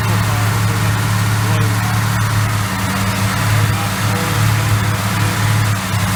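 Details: 1968 Chrysler 300 440 V8, first start after sitting a long time, after oil change and freeing oil pump check valve: runs on its own at low, slightly uneven idle with deep rumble; rough idle.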